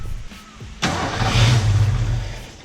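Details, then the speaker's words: Ford Fox-body Mustang after installing GT40 tubular upper intake and 70 mm throttle body: starter grinds, engine catches with rough uneven rumble then sags; hard start because ignition timing is not set right, being adjusted. "All right, guys, so we got to set the timing. Timing's not right, so that's what we're working on right now."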